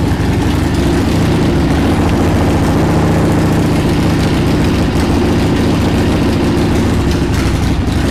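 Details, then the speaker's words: 1979 Harley-Davidson Ironhead Sportster XL1000, first run in over 25 years after carb cleaning: deep, lumpy V-twin idle with loose, uneven firing because the carburetor came off the intake, admitting unmetered air. "not really idling right let me take a look at the car real quick that's cuz the car freaking popped off"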